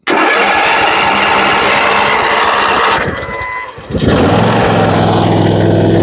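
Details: Ariens zero-turn mower with no-start, no-click fault (faulty starter solenoid), jumper box fed directly to starter: starter churns hard for a few seconds, catches and settles into a steady, even idle; engine starts fine.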